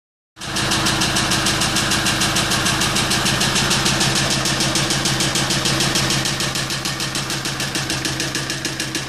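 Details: Kia Sorento at idle: sharp, even knocks about three per second stand out clearly over the idle and keep steady time; a knocking engine with the cause not yet found.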